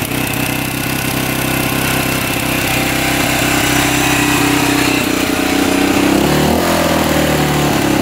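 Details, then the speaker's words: 1985 Honda XL600R single, sat a couple years, 80 lb compression, just started after oil down the cylinder: steady, slightly uneven idle, still smoking but clearing; owner hopes stuck piston rings will free up. "not too bad still smoking though let this run for a bit hopefully those pesy rings can get uh free"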